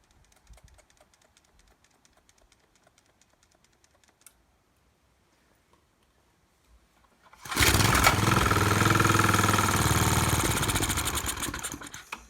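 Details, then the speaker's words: Maxim mini tiller small engine, primed with gas down the carburetor: catches and runs unevenly about five seconds then stalls; suspected fuel starvation needing carburetor rebuild, unconfirmed. "so really seems like it's got fuel starvation issues so that's just the carb rebuild away neat have to put that on the carburetor rebuild schedule"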